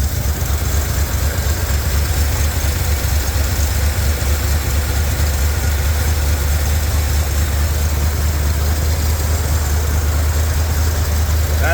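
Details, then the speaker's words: Revived truck V8 running under its own power, late and cold: deep, steady idle with an even lope and no knocks or misses. It idled and ran great up to operating temperature, though the gauge is not working. "as y'all can see it ran it idled it sounded really really good I started getting U I let it get up to operating temp it was running great"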